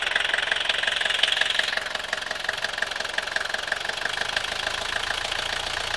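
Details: 1982 Mercedes W123 200D, OM615 diesel, at idle: sharp, even tapping about three times a second over the idle clatter; strange knock whose cause is not pinned down.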